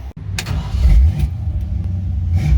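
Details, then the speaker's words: Car on a road trip: after loose header bolts were tightened (an exhaust leak was suspected), the engine starts and settles into a deep, even burble with no ticking or puffing, exhaust sounding tight; normal start and idle. "I'm gonna fire it up, see if it fixed it. If it did, great."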